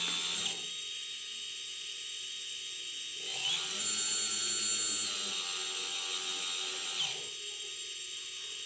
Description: Eachine tyro 109 Bad bearing noise